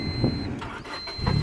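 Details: Honda Civic that had power and a good starter but would not start, fixed by blocking the clutch pedal switch with pennies: a short crank catches quickly and settles into a smooth, even run; a normal start after the fix.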